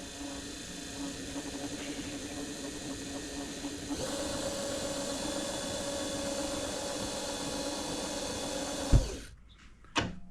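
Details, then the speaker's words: Precision Matthews PM-25MV benchtop mill, newly installed X-axis power feed at lowest speed, moving table slowly right then back: steady light motor whir with faint gear hum, smooth; gears still need grease; feed works normally. "so it does work it functions we got it in there it moves the table back and forth"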